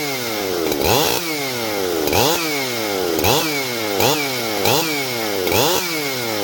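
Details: Husqvarna 371 XP two-stroke chainsaw after oiler repair, test run: revving up and dropping back about once a second with clean crisp pickup each time; healthy.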